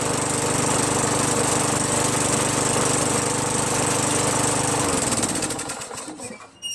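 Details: Craftsman 21in push mower with a 5.5HP Tecumseh engine that previously started only when primed, then stalled. After a quick carb bowl cleaning with carb cleaner, fuel flows; it holds a smooth, steady buzz for about five seconds, then winds down and stops. Normal running.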